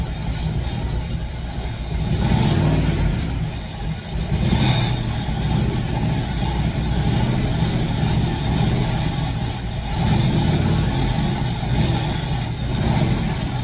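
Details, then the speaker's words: Fox Body Mustang ("Black Widow"), long-sitting, now runs clean with a deep rumble swelling on throttle blips and settling evenly; smoke clearing, owner suspects bad gas had sat in the fuel rails. "all right she's running smoke seems to be correcting itself I think I had a lot of bad gas sitting in the rails maybe"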